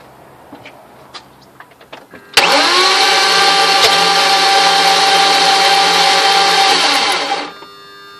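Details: 2002 BMW cranks but will not start: a steady, high whirring crank of about five seconds with the pulley turning but no usual chugging rhythm, sounding different from normal, and the engine never fires; cause unknown.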